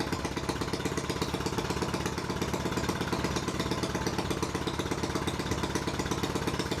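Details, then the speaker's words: Harbor Freight Predator 212cc engine swapped into a 2006 Yamaha YZ85 dirt bike, first run: quick, even single-cylinder putter held fast and steady, stuck at high idle and trying to drop down. "let's go yeah he's trying to idle down for sure"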